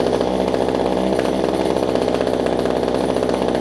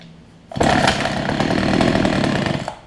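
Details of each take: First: Older Homelite two-stroke hedge trimmer, fuel line renewed, starting easily: buzzy, slightly uneven idle, then revs cleanly with pitch climbing and holding steady; normal running while warming up. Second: Older Homelite two-stroke hedge trimmer, new fuel lines and primer bulb, strong spark: snarls about two seconds with ragged wavering note, hunting; owner suspects fuel delivery issue, adjusting low and high speed jets.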